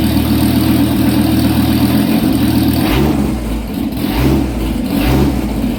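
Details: Dodge Viper with exhaust cut off both sides after the catalytic converters, short pipes: loud raw rumbling unmuffled idle with quick throttle blips; exhaust removed after catalytic converters.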